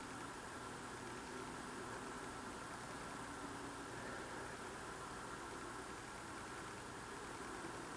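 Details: Loud unidentified idling drone outdoors at night, recorded through a frozen-shut window in freezing cold; the owner says it is not a generator. Steady, unchanging drone with faint hum and thin high tone; source unknown.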